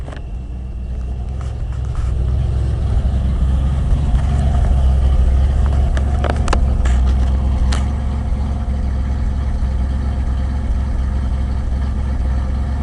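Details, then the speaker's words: Ford F-100 with remanufactured Motorcraft 2-barrel carburetor, cold start at about 65°F, now warmed to normal temperature: steady low idle with a loose, uneven pulse about three beats a second; still missing, carb needs adjusting, vacuum leak suspected. "still is missing so we're gonna go ahead and try to get the carb adjusted as good as we can"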